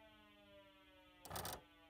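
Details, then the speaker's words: Car with a low battery, blower turned off, in a quiet cabin: the radar detector sounds a soft, steady buzzing electronic alarm warning that the car's voltage is low. "that was the radar detector you heard that little alarm noise that was the car radar detector saying the car voltage is low"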